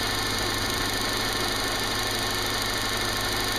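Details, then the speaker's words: Subaru with P0302 cylinder 2 misfire code, running rough and shaking, recorded near the coil pack: rough idle with a constant crackle of sharp snaps, suspected spark arcing from a cracked or faulty coil pack. Cause suspected, not confirmed. "I can hear a constant snapping, which I'm pretty sure is the arcing of a of a spark that's supposed to be going down a spark plug"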